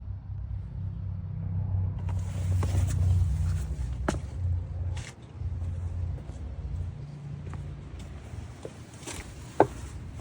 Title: Bad wheel bearing hub #shorts #automobile